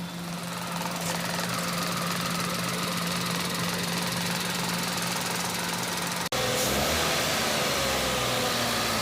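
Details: Mahindra KUV100 with misfire complaint and P0300 code, after replacing the injector rail assembly and clearing the code: even idle, steady low hum and regular pulses, no stumbling or misses.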